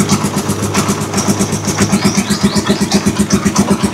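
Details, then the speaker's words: Rusi Chariot 175 trike single after changing to Bajaj oil, previous tapping gone: steady, regular idle thump about seven beats a second, no rattle or misfire; smooth normal idle. "Wow, grabe, napakatinig. Tingnan na yung mga ka-best friend. Wala na tayong maririnig na lagatik."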